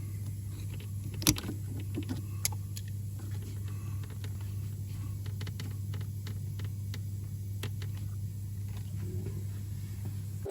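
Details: 2001 Audi A4 B5 1.9 PD TDI (AJM) diesel after timing belt and water pump replacement, running with coolant cap off to bleed air: low steady idle hum, even beat, no knocks or hunting; normal.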